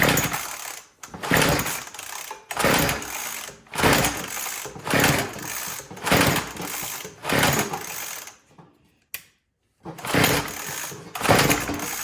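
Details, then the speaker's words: Troy-Bilt TB225 two-stroke tiller that wouldn't start after sitting all winter, with idle turned up and throttle applied: revs surge up and drop about once a second, then briefly cut out; fuel starvation from rotten fuel line and an old carburetor diaphragm and gaskets. "And if that is old and crusty, it's not going to run right."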